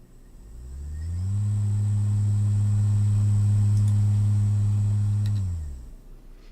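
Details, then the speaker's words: BLDC motor on Microchip AVR EB board under trapezoidal (block) commutation: deep hum ramps up, holds a loud constant drone about four seconds, then winds down; the commutation causes feedback heard as hum or screech, sinusoidal drive being quieter. "This type of usage actually causes a feedback, and you can hear it from the motor, a sort of hum or a screech."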